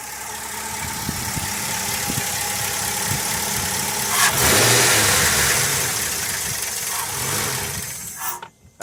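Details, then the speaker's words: 2002 Ford Crown Victoria 4.6L V8, 103K miles, intermittent cold-start issue, engine ice cold: hunts and stumbles at low uneven idle, surges briefly, then sags and stalls; idle air control valve suspected, not confirmed. "it's chugging along like it's four decades old good grief and the thing is it doesn't do this every time just sometimes"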